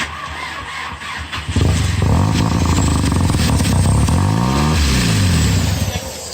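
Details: Porsche 944 with 1.8T engine swap: brief starter crank, then the engine catches and settles into a steady, even run with a few light throttle blips; engine starting and running.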